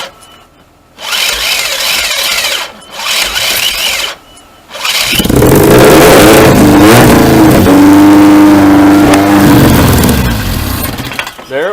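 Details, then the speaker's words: Swapped 2.4 4g64 engine in a 2003 Lancer Oz Rally, started by touching the starter with power while holding the throttle open; short starter bursts, catches, revs and runs a few seconds, then stalls. Solenoid not wired, owner says fuel pressure regulator needed. "there she is there she is all right so obviously I need my fuel pressure regulator to keep it running"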